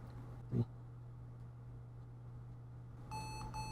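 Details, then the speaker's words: Lenovo ThinkPad T460s, tested with the SSD removed: after a soft click it gives two short high beeps at power-on, about 8 seconds in, and the screen stays dark; it was booting, but backlight fuse F7 was blown. "There's the two beeps. And the display is black."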